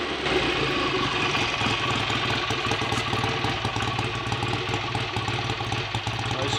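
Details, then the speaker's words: Freshly rebuilt BSA A65 Lightning twin with a replacement crank, ignition timing not yet checked: steady, even idle with a crisp exhaust beat, no misses or knocks, no smoke; better than before the rebuild; normal idle. "sounds a bit better than it did last time I heard it ringing anyway [Music] hopefully this time the bike will actually be as good as it looks"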